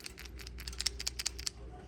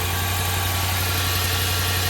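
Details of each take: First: Removed PCV valve from a Chrysler 300 (valve integrated into the intake manifold), shaken by hand: crisp, irregular metallic rattling clicks show the valve moves freely and is not clogged, a good sign. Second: Engine idling with the PCV valve removed, its port pulling manifold vacuum: steady idle with a faint uneven pulse and a hissy rush; a big vacuum leak strongly sucks a dollar bill, and covering the hole changes how it runs.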